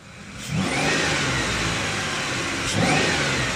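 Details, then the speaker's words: 2010 Ford Explorer with missing, RPM fluctuation, and codes P2100/P2104/P2107/P2110 from throttle actuator motor wiring; after the wiring repair and code clearing, two clean revs rise and settle without stumble or misfire, idle stable. "मैं अभी गाड़ी race ले रही है है और गाड़ी में मीटिंग भी नहीं है है कि आपके सामने है गाड़ी स्टेबल जरा भी मीटिंग नहीं है"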